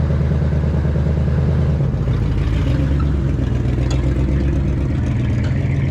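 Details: 1967 rig, over 50 years old, started on full choke and running on old bad gas. Low, lumpy, uneven idle with some clatter. Running rough.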